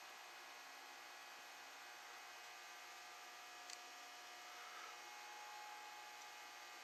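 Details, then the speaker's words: Envirofan Gold Line industrial ceiling fan model 160F, c.1978, run on a solid-state speed control with decade capacitor rig: faint steady motor hum with a thin high buzz. The buzz is disappointing and suspected inherent to the motor, not confirmed. "I swear here at buzzing it's hard to differentiate between it in the light no that's definitely buzzy so that's a little bit of a disappointment"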